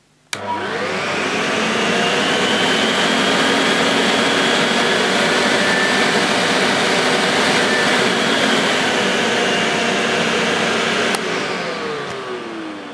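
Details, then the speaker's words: Vintage Electrolux 560 Electronic upright vacuum while the speed control is adjusted: the motor spins up to a smooth, even high whir with no rattles and winds down cleanly. Healthy, better than the previous 560. "that sounds better than the last one I had much better"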